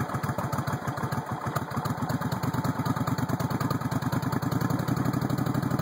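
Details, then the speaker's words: 1996 VS1400 V-twin motorcycle idling cold with the idle turned up: a loping, uneven beat with occasional sharp pops between firings. Popping at idle persists; cause not identified. "turn the idle up a little bit it's kind of cold a little bit of popping still there but idle there it is thanks for watching have a good day"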